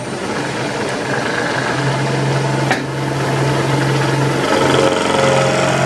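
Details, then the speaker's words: Powered lathe slotter machining slides, small cut: constant gear hum with a low steady tone and busy clatter as the table drive runs through the back gears, which make most of the noise; ordinary. "all noise you can hear when I'm drinking the table Becky's the is the driver for the table then gone through the back years it's a tends to make all the noise"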